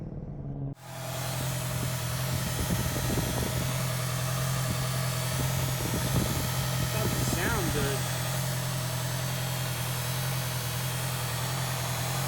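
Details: 2018 Honda CB650F motorcycle, under two months owned, noticed after a ride of about 60 miles: steady low idle hum with an irregular faint rattle and scrape ticking, apparently from the radiator cooling fan; abnormal idle noise, cause not confirmed.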